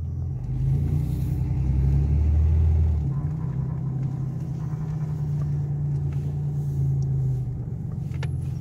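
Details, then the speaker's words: 1987 Chevrolet Celebrity Eurosport 2.8 V6 after replacing and adjusting transmission vacuum modulator: engine drone under load with flare around shift, automatic still slipping in second gear around 55 mph. "still slips in second another job right at 55 miles"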